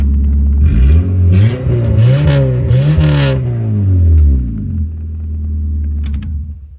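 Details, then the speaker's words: 2001 Honda Civic LX donor with a blown head gasket, fitted with new cheap coils and first running: clean revs settling to an even idle, no misfire; sounds healthy. "so sounds pretty good to me"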